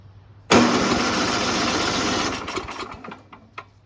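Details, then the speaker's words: Noma/Murray Snow King 27" dual-stage snowblower, 9HP Tecumseh, with ether sprayed into the plug hole: it catches sharply, runs about two seconds, then dies. It is not getting gas; the older Tecumseh carburetor's bowl was nearly empty, meaning fuel starvation. "i sprayed some ether into the hole spark plug hole all right well there it goes so it's not getting any gas huh"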